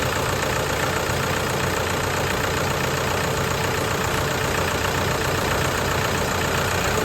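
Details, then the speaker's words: Toyota Hilux diesel, manual 4x4, first start after overhaul (had died after the oil warning light lit and would not turn over): steady, even diesel clatter at idle with no knocks or misses; runs healthy. "Jadi hari ini sudah bisa hidup. Kita pantau dulu karena ini baru pertama kali kita hidupkan."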